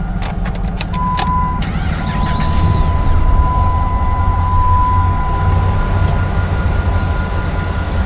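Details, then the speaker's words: 2009 Ram 2500 pickup: a few clicks and a short crank, then a steady, even low rumble settling into a smooth idle; the engine starts and sounds healthy, and the truck runs and drives. "Starts, runs like a Dodge, it sounds like. A Dodge Ram."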